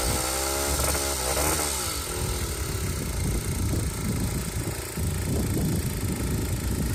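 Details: Aprilia SR50 two-stroke scooter on a test frame, after a loose flywheel and bad fuel pump wiring: buzz revs up briefly then drops to a busy, crackly idle that keeps running; engine runs as it should.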